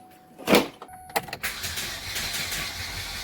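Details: 2008 Chevrolet Cobalt, reportedly seized, on a jump box after a spray of starting fluid: steady fast even cranking that never fires; low compression and jumped timing suspected.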